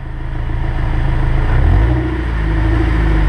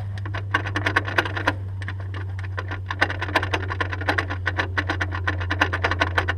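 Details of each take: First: Honda S2000 after repairing the propeller shaft that was popping and clicking, in gear on a lift under light throttle: smooth low hum with no popping or clunks; driveshaft now normal. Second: Honda S2000 propeller shaft turned by hand: rapid dry clicks about four or five a second from a sloppy, worn driveshaft joint, worsening over time; shaft replaced with an OEM one.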